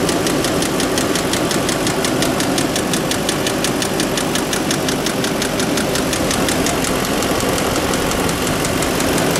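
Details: Audi A8: sharp, light ticking about five times a second over a steady idle, source not pinned down. Engine knocking.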